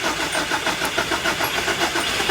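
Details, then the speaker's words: Nissan project car with Link ECU, after fitting a new fuel injector, on jump pack: starter churns about seven pulses a second with no firing; crank, no start, traced to the faulty new injector, runs once unplugged. "Crank, no start, hell yeah. Drexel unplugged the new injector. Still no start."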